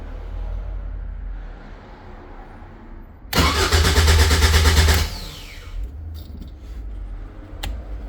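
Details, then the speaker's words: Caterham 7 620S, cold after sitting overnight, immobilizer light flashing, fuel pump primes, no tach reading: under two seconds of steady even starter churning with no catch. Crank no start, cause unconfirmed. "So that flashes a lot. And no start. Put this by it. Fuel pump primes right away. Nothing."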